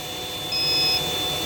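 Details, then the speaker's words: VEVOR 12 V 3600 W modified sine wave inverter pulling about 2900 W (around 182 A from the battery bank) with a hair dryer and compressor: steady high-pitched warning tone over faint hum after a surge; owner concludes low-voltage alarm. "yeah it's kind of complaining but it's still working so I guess it's the low voltage that it complained"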